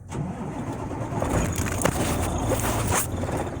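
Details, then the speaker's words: Volvo VNL semi truck hot-wired at the ignition switch with a jumper from slot 1 (battery) to slot 5, then bumping slot 6 to crank; brief cranking, then it catches into a rough diesel rumble — normal crank and start. "You're going to run your jumper wire over to slot 5. Okay, you hear it cut on. Oh, slot 5, you hear it cut on. See, 1 and 5, and then you bump it with number 6."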